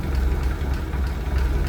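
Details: 1965 Ford F100 project truck, inline six with one-barrel carb and newer plugs, idling with the hood propped open: low, even rumble with a steady beat and no knocks or ticks; smooth normal idle.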